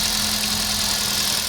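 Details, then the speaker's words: Kia Picanto with code P0303 (cylinder 3 misfire) and check-engine light, after the repair, with the light now cleared by itself: steady, even idle with a smooth low hum and no skipped beats; misfire gone, normal idle. "अभी एकदम missing भी नहीं है एकदम smooth"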